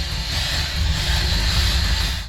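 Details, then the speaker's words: 1970 Ford F100 two-wheel-drive, 352, 360 or 390 V8 (displacement unknown), with a newly installed aftermarket part: an uneven, loping idle rumble with a steady hiss on top; intake or vacuum problem suspected, cause unclear. "okay as you guys can hear that's our first problem our buddy installed something really cool but it's not running right"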